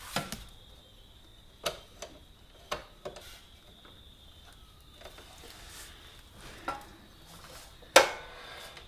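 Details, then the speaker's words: Honda CB125E rear drum brake adjuster nut tightened too far after chain and sprocket replacement: faint steady high-pitched scraping hiss with scattered clicks as the wheel turns; brake drag from over-tightened drum brake. "Now, you've gone too far if you can hear the brakes apply, because you'll actually hear them. They will start making noises like this."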